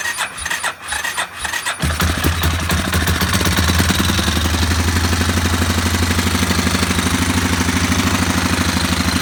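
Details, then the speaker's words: Warrior ATV number 4, about 1–1.5 hours on the motor, after a valve adjustment, choked and with no gas tank fitted: it catches and settles into a steady, slightly fast single-cylinder idle with much less rattle, smoking as oil cooks off. Running normally. "That definitely sounds better. That smoke's just it cooking off that burn oil, that non-burn oil."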